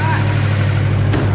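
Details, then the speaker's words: Nissan S15 after first start, with a borrowed fuel pressure regulator fitted to fix erratic running. Deep, steady low idle with an even pulse; no longer tinny, which the owners credit to the oil moving around. Sounds better; normal idle. "Sounds better. Sounds unreal. It's got the good sound."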